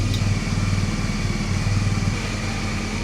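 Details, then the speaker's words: Triumph Daytona 955i project bike jump-started from another bike: even starter cranking at about four pulses a second with no firing; it cranks but won't start because the fuel injectors were never plugged in. ">> Forgot to connect the injectors. >> Oh, my soul. >> Never [ __ ] plugged them in. All right. So, of course, it's not going to start going in 10 minutes."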